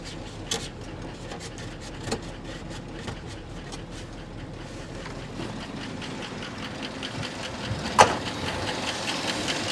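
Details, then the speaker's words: 1972 Ford F250 4x4 Highboy, sitting over 15 years, first start on poured fuel with oil pressure confirmed and almost no radiator water: quiet idle with faint regular light top-end ticking; runs with some noise. "There's a little bit of noise, but it does run."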